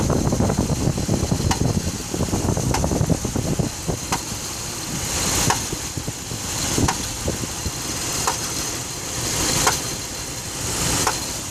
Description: I have a 2006 dodge ram 1500 5.7 engine knocking noise. Need some help identifying the noise. It only happens when the block is cold and engine light does not come on